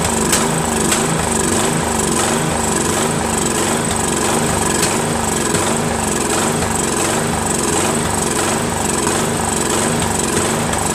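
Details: Craftsman 13.5HP mid-engine riding mower, replacement engine repower, first start after new starter and battery: loud uneven single-cylinder running with irregular sharp pops, surging and backfiring; owner suspects sheared key throwing timing slightly off.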